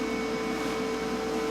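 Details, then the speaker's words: Lincoln Power MIG 210 MP after drive motor replacement: steady, even hiss of shielding gas escaping inside the machine at the gas block over a faint hum, with no gas at the nozzle; owner is unsure whether the MIG gun or the flow meter is at fault. "I just did something there now sounds like there's a lot of gas coming out of the machine and still n to 10 um still none at the [Applause] nozzle"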